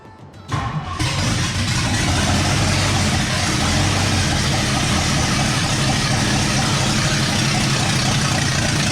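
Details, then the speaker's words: 1962 Mercury V8, first start: starter grinds, then a loud, rough, lumpy roar that never settles; ignition timing retarded, about 10 degrees after. "We're way late. We're like. Retarded. Yes, the timing is retarded. Yeah. We're like 10 degrees after."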